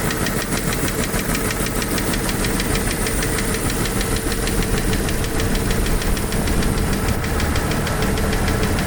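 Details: Jeep YJ 4.0 six-cylinder idling with light, fairly quick ticking over a rough rumble; owner doubts it is a lifter, source unknown.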